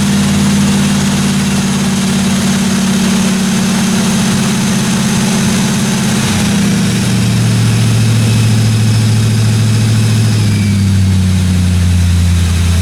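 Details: 1957 Chevy 210 project car V8 at fast idle during its first-run camshaft break-in of about 20 minutes: smooth, even run with a steady low drone and no valve-train ticking or knocking; normal running.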